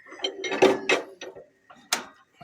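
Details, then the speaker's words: 1938 Allis Chalmers B with rare Waukesha engine, hand cranked: a few sharp metallic snaps at irregular spacing with good compression; magneto impulse coupling working normally. "And it does turn over and has really good compression. The guy I got it from said that it runs really good. And the impulse on the mag is working."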